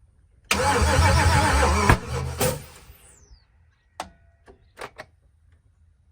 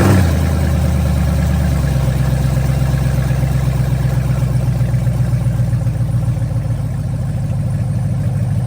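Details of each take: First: Gen4 LS-swapped Cutlass, first start attempt with fuel pressure around 50 psi; starter grinds about a second and a half, then a few sharp pops with no catch; crank no start because the coil harness was swapped wrong. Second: Cutlass with Gen4 LS V8 swap, first start on startup tune with correct injectors, no cooling system, short run with gas pedal blips: steady, even deep smooth rumble, responds well, no knocks or misses; normal idle.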